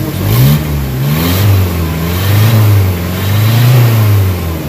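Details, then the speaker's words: Nissan Vanette after a fix for low power and throttle delay, including a hard engine treatment and 5W40 oil: revs up and down smoothly and repeatedly with an even pull, no misfire or stumble. Normal revving; the owner's earlier smoke is gone. "Okay. Wala lang usok. Panalo na."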